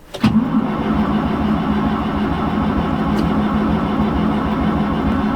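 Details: Cold start attempt in winter: starter spins steadily with a constant drone, engine never fires; long crank without starting, battery draining, brake cleaner considered to help.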